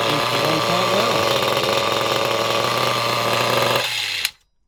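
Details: High-pitched buzzing HPI Trophy nitro buggy engine, tick-over screw turned in quite a bit, revs up and down cleanly and holds a fairly high idle before cutting off; running well.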